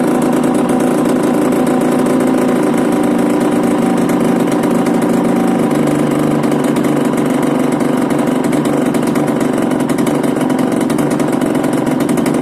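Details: Yamaha DTR 125 two-stroke, first start after fitting unrestricted Gilera SC CDI, Big One exhaust, 240 main jet, powervalve fully open: fast buzzy idle, even and steady with slight dip midway; running cleanly.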